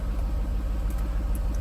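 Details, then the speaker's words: 2018 Jaguar F-Type R (X152), auction rebuild project, idling after exhaust setting changed and active exhaust valves opened: deep, steady low rumble with even pulse and no knocks; healthy idle. "If you have to be in some some sort of mode. Oh, there we go. I heard the valves open."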